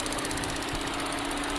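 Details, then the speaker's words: 2014 Chevy Sonic after new cooling fan and fuse, idling with fan running: light, quick ticking over steady hum, present with AC on or off; suspected injectors, not confirmed. "Next thing is, I guess, find out what this ticking noise is. Sounds like injectors. That's my guess."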